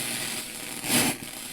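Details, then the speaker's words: Morse 2500 AM/FM stereo receiver from about 1977, initial checkout: AM works but with a lot of interference. Steady static hiss with a louder crackling surge midway, likely from nearby electronics and a poor antenna setup; it then improves. "am am does work a lot of interference [Music] Plus on a em there's just signal [Music] something here interfering it's better"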